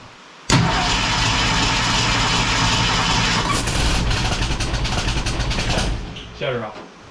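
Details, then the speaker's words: Ford Falcon wagon with a swapped SBF 302 V8, test fire with fuel poured down the throat: it catches with a roar for about five seconds, then sags and dies. Owner suspected the timing. "up think the timing's out uh she fired but she's pushing air through I'm going to run back through and check our timing again"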